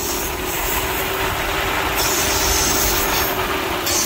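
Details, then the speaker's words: 2013 Chevy Sonic 1.8L four-cylinder idling, code P0171 lean: loud steady hiss from the failed PCV valve built into the valve cover lets unmetered air in, causing a rough idle; fix is replacing the valve cover. "that right there is causing too much air go ahead and turn it off listen to that that right there is causing um too much air to go into the system and not enough fuel so it makes the engine idle way too rough"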